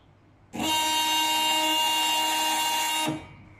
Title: DCH machine Z motor noisy issue